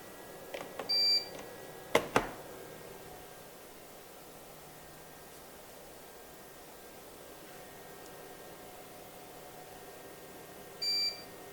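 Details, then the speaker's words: Eaton Ellipse Pro 1200 UPS on battery at about 46% load; short high beeps about ten seconds apart reaching 53 dB, otherwise about 30 dB with no fan roar; normal on-battery warning beep, not noisy. "alors les 53 décibels là que vous avez ici c'est quand il fait le bipe parce que le bip lui on l'entend bien mais sinon on est à trente décibels"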